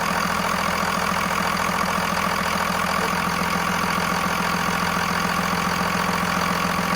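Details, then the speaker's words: Second-gen 24-valve Cummins turbo diesel just after a new serpentine belt was fitted, air filter still off. It gives a steady, dense diesel clatter at even idle with no belt squeal or chirp. The previous squeak is gone and the accessories turn cleanly. "Oh new serpentine belt design and as you guys could see the squeak is gone which is good"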